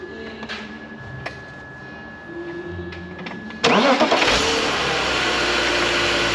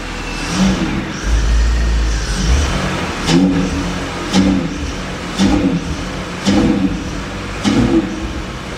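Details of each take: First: Drift car engine after a hydrolock, run with the mass airflow sensor unplugged: it fires at once and settles into a steady, even run. The wet MAF is suspected dead, and coolant leaked afterwards. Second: Drift car after a hydrolock from ingesting water at a circuit: repeated throttle stabs, but the engine bogs and won't rev, with no smoke. A wet MAF sensor is suspected as the cause.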